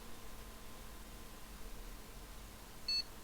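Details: Gigabyte GA-H81M-DS2 motherboard with a 4th-generation i5, which earlier powered on and off with a click and no POST. One short, clean high beep in a quiet room: normal POST, and the board now boots.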